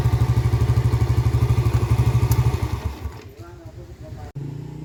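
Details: Yamaha Vega R after valve lapping and ring-area cleaning to fix lost compression and stalling: steady regular single-cylinder beat at idle with no clatter, with exhaust refitted; the bike runs normally.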